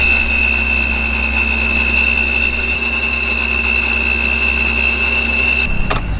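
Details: Supercharged BMW E36 with standalone ECU, final run before supercharger removal: even idle under a clean, steady high-pitched supercharger whine, no rattles or misfires; healthy.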